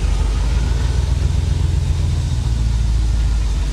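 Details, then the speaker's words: C4 Chevrolet Corvette V8, rescued from a Florida swamp, running after first start: deep idle with an intermittent stumbling misfire between smooth spells. Owner suspects bad sensors; no working check engine light, so no diagnosis yet. "it's definitely [Music] misfiring right there you hear how smooth that is I guarantee we've got a sensor or 10 bad under the hood"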